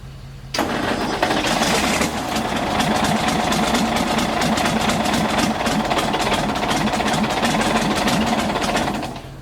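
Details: Galion T500 motor grader diesel, sat 14+ years since 2007, cranked again after turning the fuel back on: fires and picks up into an even, regular diesel clatter that holds steady; running properly.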